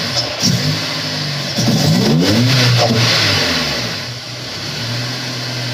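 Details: Honda S2000 after melted number-one coil pack; second startup, a couple of quick blips rise and fall cleanly, then a smooth steady idle, no misfire; much better than rough first start; normal revving.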